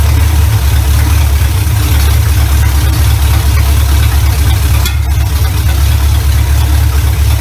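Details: 1970 Chevy Impala V8, first run in 4 years right after fitting a new carburetor, ignition advance not yet capped: deep even idle with steady low burble, no stumbles or misses; runs much better than old carburetor, normal idle.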